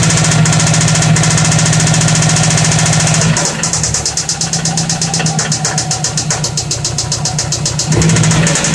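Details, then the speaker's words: 2004 Subaru Forester XT with 87,000 original miles at idle: a steady, regular light tapping near four per second over the engine note; owner thinks it is knock, source not pinned down. "2004 Forester XT um 87,000 original miles see if you guys can help me figure what this sound is think it's knock but"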